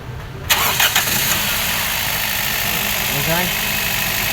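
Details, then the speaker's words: Car engine with loose, noisy timing chain after tightening: catches at once and settles into a steady, even idle with no rattle from the front of the engine; chain noise gone. "ये चैन में आवाज़ थी, इसको थोड़ा सा टाइट किया, अल्हम्दुलिल्लाह इंजन भी स्मूथ हो गया।"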